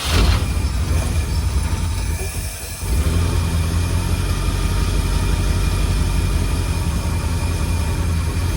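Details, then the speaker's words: 1952 Cadillac Series 62 barn-find V8, revived after decades of sitting, idling warmed up: an even low idle with a constant whir on top. "But, after it warmed up, seems to be running pretty good. There's just that whirring. If it weren't for that whirring sound, it'd be it would sound beautiful."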